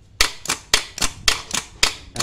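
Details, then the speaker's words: Mitsubishi L300 diesel starter motor tested before disassembly: sharp clicks about four times a second with no spin-up between them; the starter won't turn. "Coba kita perbaiki ini kita coba dulu sebelum kita membongkar betul nggak mau berputar kalian ya Nah itu ini Ini masalahnya nggak mau berputar"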